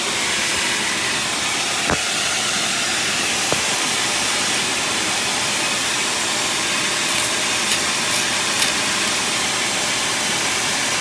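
Steady sharp hiss over a running engine with little low end, no clear rhythm; sounds like exhaust gas escaping at a leak.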